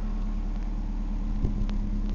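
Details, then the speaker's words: 1998 Ford Escort ZX2 Sport parts-car engine with about 120,000 miles, fed by a bypass fuel line from a pan and running without coolant. Smooth, steady idle with no misses or knocks and no smoke; it sounds healthy. "now there's no smoke it's running beautiful of course it's only got like 120,000 miles on the engine"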